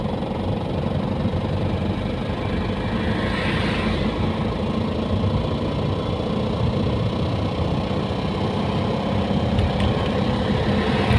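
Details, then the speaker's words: Diesel car towed in after a noise while driving, then stalling and refusing to crank: rough clatter with harsh metallic knocking through it. The glow plug tip of cylinder 4 broke off, dropped into the cylinder and wrecked the piston. "aracımızda e seyir halindeyken motordan bir ses geliyor bir müddet sonra araç stop ediyor stop ettikten sonra mas çevirmiyor"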